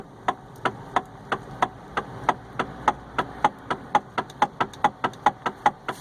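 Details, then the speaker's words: Hyundai i30 electric power steering column: sharp, evenly spaced knocks about three per second with slight play, no engine; suspected worn or crumbled rubber flexible coupling damper between electric motor and reduction gear, repairable without replacing the box. "certo é você tem um carro da hyundai está com esse barulho tech e uma pequena folga na na na direção é bem provável que deve ser esse sistema de amortecimento aí que deu desgaste ou esfarelou-se do a borracha de amortecimento"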